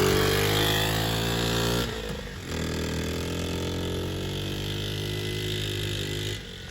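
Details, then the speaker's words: 1979 Honda Z50 custom build: the small engine's buzz sags and bogs, picks back up, then stalls. It sounds almost in gear; the suspected causes are timing or a loose valve. "Why is it bogging? She stalled. She stalled."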